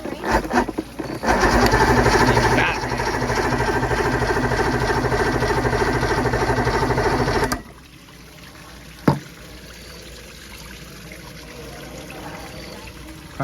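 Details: 1990 Johnson 130 hp outboard, once seized and sitting about 10 years, with no choke knob or primer solenoid. It has fuel and spark; the fuel pump is suspected bad. Starter cranks at an even, steady beat for several seconds and never catches.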